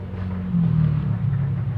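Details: Welhome wall fan, seized, only hums: low steady electrical hum and buzz, vibration but blades won't turn even when pushed; seized motor from dry, dirty shaft bushing, fixed by cleaning shaft and bushing and oiling.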